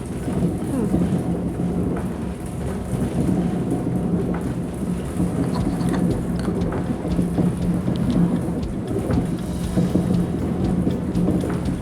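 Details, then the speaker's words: Grist mill millstones at Gray's Grist Mill, Westport, grinding as the stone is lowered onto grain: grumbling, creaking, even rushing grind over a steady low hum as the grain fluidizes and the sound changes, possibly speeding up; normal grinding, no knocks. "And you hear it kind of grumbling and creaking. What's going to happen is what's in there will start to fluidize. And it just sounds totally different."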